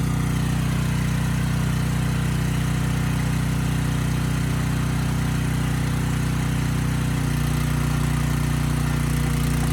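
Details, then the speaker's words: Briggs & Stratton Storm Responder generator (model 030430-00, engine 21T212-0116-G1), previously stuck at TDC with fuel-flooded oil, final test after repair: steady even beat at constant speed; speed raised to 61.5 Hz, loaded to 3000 W and holding 60 Hz, running normally. "loaded it to 3000 watts and the engine speed held just fine at 60 hertz"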